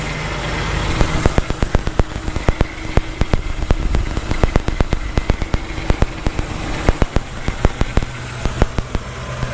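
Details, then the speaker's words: Nissan Z just revived, first start after fuel pump primes: low idle with irregular sharp rattling cracks about twice a second. "it runs you hear the pump Prime and it starts right up [Music] and you can hear it but there's that low rattle don't really know where it's coming from"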